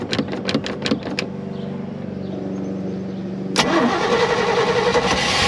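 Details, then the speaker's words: 1991 Malibu Competition ski boat, brand-new built 350ci Chevy V8, first start on the water after long dry storage; catches then settles into a lumpy, unsettled idle before a blip; owner says it runs rich and the carb idle needs adjusting. "there we go see if she'll idle I need to I need to adjust your idle it sounds like give me one second"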